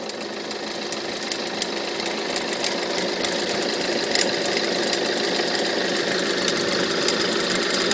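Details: Peugeot 307 2.0 HDi 90 hp diesel at idle: fairly regular light knock about three times a second from the front accessory area; owner suspects the alternator, its pulley or the idler pulley, cause unconfirmed.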